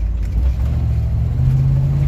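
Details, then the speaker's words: Suzy after ignition timing was corrected, following a viewer's tip: deep engine note accelerating away from a light, climbing steadily in pitch, with only a slight stumble where it used to fall flat; it pulls much better. "oh that's much better than it was they used a stumble of way more than that i mean i had a bit of a stumble there but he used to fall flat on his face"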